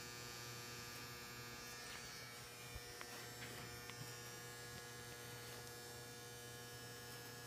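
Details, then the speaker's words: Domestic boiler: loud steady electrical-sounding buzz with constant low hum and faint ticking, which the owner blames on the water; owner thinks a new boiler is needed; cause unclear. "hope this you can hear it now because this is loud. It's the water here that's freaking annoying."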